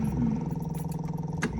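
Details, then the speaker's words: 1975 MG Midget 1500cc original-style starter giving a steady fast electric whir without cranking clunks, spinning but not engaging the flywheel, new battery and electrics checked; replaced with a Wosp starter. "So anyway, my starter was not engaging the flywheel. Although the start that said the starter was still turning."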